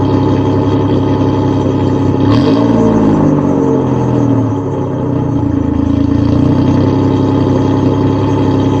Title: Cold start, exhaust leak and all